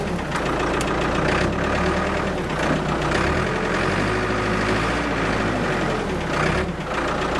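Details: Abandoned Ford 655A backhoe diesel after revival, hydraulics working: even clatter dipping slightly under load, no knock or miss; engine sounds good, blow-by basically none, healthy.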